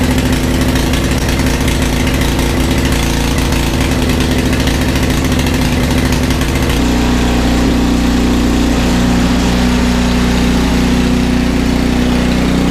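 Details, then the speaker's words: Brother's snow blower just after a tune-up and oil change, unused for a while, on a 51–56°F January day. A small engine chugs steadily and settles to a slightly different speed partway through, with no misfires or stumbles. Running properly. "I got it running that's the important part"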